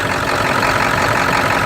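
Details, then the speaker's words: 1999 Ford F250 7.3 diesel idling: a steady clatter with an even mid-pitch drone. The shaking stops when the feeder valve is opened and returns when it is closed. Rough idle, cause unknown. "I got a problem. This thing is running rough, and the thing is, when I open the feeder valve, see, it's not shaking no more."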